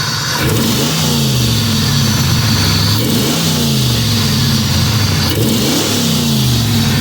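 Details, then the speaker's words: 1997 Pontiac Trans Am LT1 V8 after replacing the original PCV valve, blipping the throttle three times and revving cleanly with no more cutting out or stumble, quick response; idle roughness about 75% gone. "There's no more cutting out. It responds quick."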